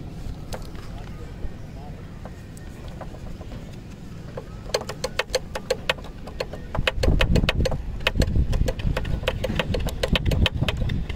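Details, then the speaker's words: Bajaj Discover 150 rocked by hand: sharp metallic clicks about three or four a second as the loose inner left front disc pad moves; owner suspects the back plate behind the pad needs replacing. "Actually disc brake में थोड़ी सी दिक्कत है क्योंकि जो left side की इसकी disc pad है वो आवाज़ कर रही है। अगर मैं उसे हिलाऊं या गड्ढों में अगर बाइक चल रही है तो वो आवाज़ करती है काफ़ी।"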